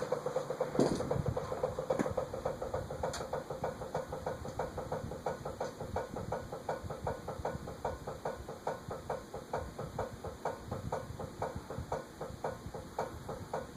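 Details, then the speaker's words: Eagle Fan Corp 2811 retractable-blade ceiling fan under test. Sharp regular ticks, three or four per second, come from the motor over a quiet hum and keep getting worse. The top bearing is suspected, not confirmed. "That noise keeps getting worse. I think it's from that top bearing."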